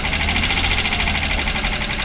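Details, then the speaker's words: Junkyard engine (Isuzu/Honda) at idle: fast, even, sharp ticking over a loud steady idle that doesn't fade; owner unsure of the cause, possibly the lifters. "y no parece que ese ruido se vaya eliminar poco a poco así que está un poco de miedo"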